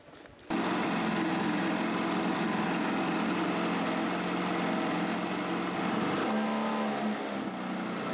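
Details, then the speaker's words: Homemade tractor with a motorcycle engine, tested after fitting a new 3D-printed relay and fuse box: it starts and is stopped with the key, running as a steady, even high-pitched buzz with no knocks or misses. "on va voir si le moteur démarre et le moteur s'éteint avec la clé parfait"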